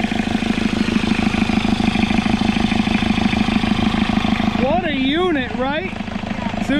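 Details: Isuzu P'up turbo diesel four-cylinder mini truck, first run after sitting 28 years: steady, even diesel clatter at idle with a smooth beat and no misses or knocks, then chirpy background noise; a healthy idle.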